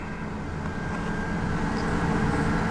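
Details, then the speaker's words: 2001 Ford Explorer, running a couple of minutes, holding a steady raised idle above about 1100 rpm with no hunting. The owner suspects a dirty idle air control valve and plans to clean it; a battery charging problem may also contribute. "noticed for a while it's got kind of a high idle. And I've been running it, I don't know if you can hear that, but it's been running for a couple minutes, and it stays above 1100 or so RPM, and which is pretty high."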